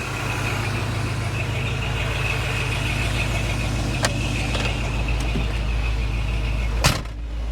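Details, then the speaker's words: FSJ Cherokee with refurbished AC, engine idling, switch bypassed: fans running with steady whirr and compressor clutch pulled in, no squeal or grinding; AC working and blowing cool. "But you can see the fans running. I've got the switch uh bypassed right now, but compressor clutch is pulled in."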